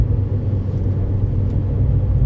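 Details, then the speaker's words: Ford Fiesta ST150 Mk6, Duratec 2.0, first drive after fitting Mountune cast aluminium inlet manifold, before full temperature: deep, throaty roar while driving, steady with no rattles or misfires, no warning lights; intake note much changed. "Once you get going with this thing, it roars. And I mean, the sound is very, very different."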